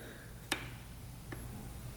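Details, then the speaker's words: 2006 Honda CRF250R rebuilt engine that would not fire, valves checked with cam lines parallel to head: three crisp, light clicks as each rocker is pushed by hand, showing free play; valve clearance present, not tight. "there's play in there, so those are not tight either."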